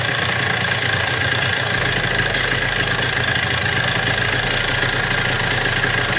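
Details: Yamaha RX King two-stroke revving with a dull knock that started suddenly at high speed, caused by the flywheel magneto being loose on its boss pin; loose flywheel knock.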